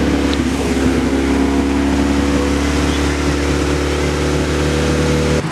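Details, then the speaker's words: Second-gen Mitsubishi Eclipse running again, white smoke at startup; steady idle with faint puffing rasp over the exhaust note, a small exhaust leak from a not yet fully tightened joint. "okay after a while we finally got this car running you can hear we got a small exhaust leak but that's fixable that's just because we haven't completely tightened it"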